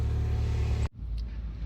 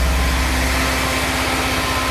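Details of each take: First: Mini Cooper with P0304 cylinder 4 misfire, after changing spark plugs and one ignition coil: steady, even low hum with no stumble before shutoff; idling smoothly. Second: Mini Cooper with P0304 misfire code: engine held around 2000 rpm shows uneven, lumpy pulse and sudden dip as it bogs while intake cleaner is sprayed; cylinder misfire.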